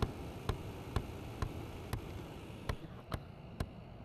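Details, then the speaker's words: Seat Ibiza diesel (possibly 1.6 CAYC), heater blower on full: sharp, evenly spaced light clicks about twice a second, a thumping from the heater flap actuator whose mechanism has a broken cog, so its cogs get stuck. "If I turn that on full, you can hear that thumping. Oh, you can just see that back there actually. Right, so what that does there is operate this flap back here."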